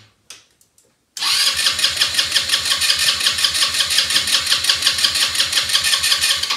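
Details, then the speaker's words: Elstar 150cc single-gear 2WD quad bike, long stored, spark plug cleaned: the starter chugs evenly about three times a second for over five seconds but never catches. Cranks but won't start; owner suspects spark or a bad plug, later found to have good spark. "but i'm not sure i have spark so i have to test that could be it's a bad plug it's clean now but it could be bad"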